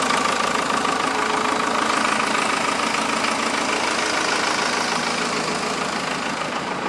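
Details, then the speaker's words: Cummins 4BT four-cylinder diesel swapped into a Toyota on rubber mounts: steady, even diesel clatter at idle with a regular beat and no odd knocks or misses. The truck is said to run well with good power. "other than that truck runs good good power whatnot so I'll fire it up for you guys here so you guys can hear it and see it run so you guys will actually believe me that the thing works so it goes"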